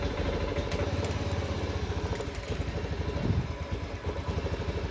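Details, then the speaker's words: Honda Beat FI scooter with no fault code on the speedometer: the engine stumbles and chugs ("brebet") and stays near 1000–1500 rpm even at full throttle, a hesitation or misfire; the cause is suspected, not confirmed. "ini gasnya udah aku full gas tetapi Kondisinya masih berobat nggak mau naik rpm nya masih tertahan di sekitar 1000-1500 RPM"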